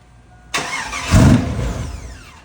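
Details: 2001 Chevrolet Silverado that wouldn't start; fuel pump replaced a year ago, fuel pressure confirmed. It catches with a sudden roar, runs roughly under two seconds, then dies. Owners suspect the security system.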